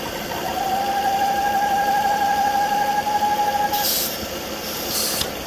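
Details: 2009 Volvo S40 2.4i B5244S7 at idle: steady high howl/whine that suddenly started, worst at idle, gone above 1500 rpm; about 4 inHg vacuum on crankcase, oil cap hard to remove; owner suspects bad PCV oil trap.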